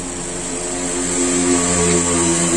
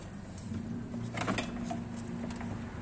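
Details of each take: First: Mazda CX-3 blower motor after repair, previously noisy when the engine was running: steady fan whoosh with a smooth, even hum rising slightly as it spins up, no squeal or grinding; blower runs normally. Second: Mazda CX-3 with engine running: steady low drone with a rough, buzzing vibration from the front blower fan motor, caused by damaged motor bearings.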